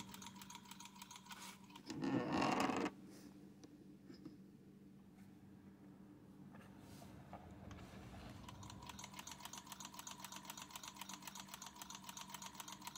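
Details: Ciné Kodak Model A 16mm movie camera, partly torn down, before cleaning and light lubrication: light, regular clicking near four per second as the mechanism turns, even and free, no scraping or binding; healthy.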